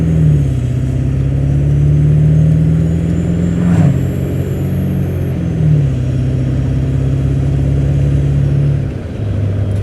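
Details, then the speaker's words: 1997 Ford Powerstroke diesel truck with hard starting, after hard acceleration on the highway: deep, steady drone under road load, even pitch changes, no miss or knock; now running perfect, cause unknown. "running perfect now I don't understand this I bought a whole nother truck because of this"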